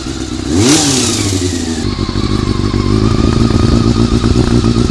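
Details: Honda CBR400RR after riding at Ebisu Circuit: after a quick rev it settles into a fast, uneven mechanical clatter over the idle, about three to four hits a second; cam gear train suspected, not confirmed.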